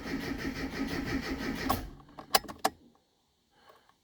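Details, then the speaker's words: Classic Mini MPI after in-tank fuel pump replacement, about five litres in tank: steady starter churning at about three beats a second, never catches, then clunks and silence. "you know the fuel pump going i would expect it to start by now so i'm a bit concerned"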